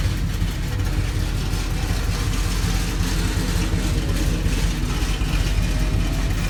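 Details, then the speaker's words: Chevrolet C10 truck V8 as bought, before the rebuild: steady deep rumble with an even lope and no knocks or ticks over several seconds; healthy idle. "I also put a clip of the motor and what it sounds like it sounds pretty healthy"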